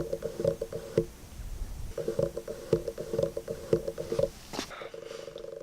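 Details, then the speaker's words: Sigma 18-35mm on Panasonic GH5 via Viltrox EF-M2 speed booster in continuous autofocus: bursts of rapid small clicks about twice a second, stopping and starting, as the autofocus motor hunts for focus. "As you can see, it's having a really hard time, and if you might be able to hear that slightly obnoxious clicking noise in the background, really unpractical."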